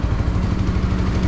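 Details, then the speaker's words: Honda CB150 idling for break-in after engine refresh with new block, valves, valve seals and gaskets: even, quick single-cylinder putter, steady firing, no rattle or clatter; healthy, previously smoky and noisy. "Ayan, paandar na yan mga kaibigan. So tahimik na ulit yung kanyang engine"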